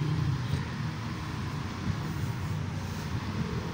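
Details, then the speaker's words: Spin dryer after repair of broken cable, slack taped: timer turns and steady low hum from the spinner with no scraping or rattling as the drum spins up; normal spin running. "timer ay gumalaw na ibig sabiin Okay na po umaandar na po ang ating dryer ang ating spinner"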